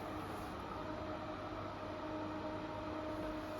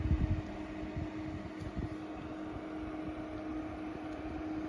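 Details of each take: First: Extractor fan compared against the Intervent NVF100P: steady, fairly high motor whine over a lower hum, unchanged throughout. It sounds more powerful but doesn't move more air; the loudness comes from a whining motor, and bearings can add to it. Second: Intervent NVF100P 4" axial extractor fan (220–240 V AC), pullcord switch not clicked twice so it doesn't latch: steady hum drops away, briefly spins back up, then winds down between cord pulls. The fan cuts out when the switch isn't latched.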